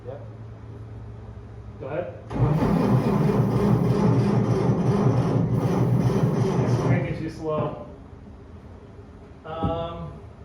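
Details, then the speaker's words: 70-year-old truck with new starter, spark plug wires reconnected, engine not seized: starter cranks sluggishly about 3.5 beats a second for five seconds, never catching; battery cranking amps or voltage drop suspected. "yeah just dranking too slow um it's not going to have enough enough enough movement to get the air down and in"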